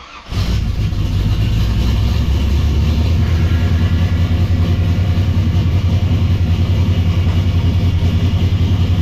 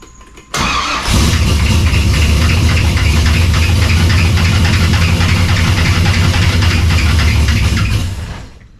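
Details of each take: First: V8 shop project car after tightening a very loose belt that had been making a racket: engine catches and settles into a steady, even idle with no squeal, slap or rattle; belt drive now sounds healthy. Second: Cold engine, with the cooling fans not yet hooked up, starts into a fast idle with a steady clattering slap at the front. The cause is a very loose drive belt, which was then tightened.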